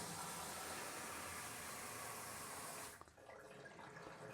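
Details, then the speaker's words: Original sump pump, plugged in for a test after fitting a water-powered backup: strong, steady rush of water for about three seconds then a quieter flow; the pump runs normally. "So let's go ahead and plug our sump pump in. Boom, you hear it running."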